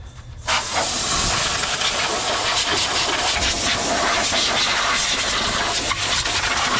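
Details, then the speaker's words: Steady, even hiss of escaping compressed air from the drain valve of a stainless air tank under the bumper of a 1966 Chevy panel truck; the drain is leaking, judged okay. "oh sounds like I have a leak too that's the drained off leaking that's okay"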